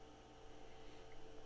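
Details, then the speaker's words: IBM PS/2 Model 25 planar after replacing faulty BIOS EPROM, previously halted at POST code 01; power-on with steady power supply fan hum, hard drive spin-up at fixed pitch, then a beep; normal operation. "we can hear the hard drive spin up we know that things seem like they're operating i mean the the fan on the on the power supply up here is is operating we heard the a beep"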